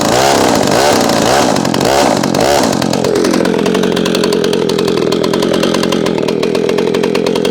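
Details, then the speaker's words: McCulloch SP-125 chainsaw jetted two sizes down to a .028 jet: idle rising to a high, thin scream under a long cut, holding without bogging. Leaning out under load; owner suspects warmth or vapor lock, plans a .029 jet. "I'm going to order the 29 and put it in there. Just feels like she leans out after a long cut. And we're not burning that saw."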